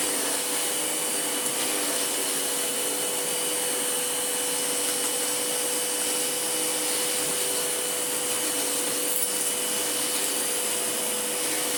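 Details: Sebo ET-H powerhead on a Sebo Airbelt C3 Power vacuum: steady high motor whine with a constant airy rush, no surging, rattling or brush chatter; powerhead running normally.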